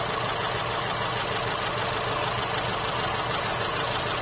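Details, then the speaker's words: Holden Cruze petrol engine idling roughly with an uneven, stumbling beat and visible shaking, a dead miss; common ignition coil failure diagnosed by unplugging the coil pack connector: engine misfire at idle. "we've got a Holden Cruze in the shop today came Molina with a engine misfire you can hear it you can feel it it's a dead miss"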